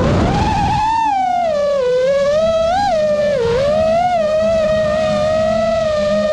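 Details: 5-inch FPV quad in flight, new frame, Xing 2207 2450KV motors, 5x4 props, 4S 1500, Spedix 30A BLHeli32 ESCs, Bardwell F4 V1, Betaflight 4.1 with RPM filtering: motor whine wobbling constantly, micro-vibration oscillation, cause unclear.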